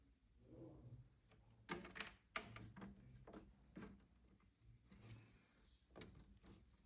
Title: Saturn 4 ultra clicking noise, after resin spill cleanup.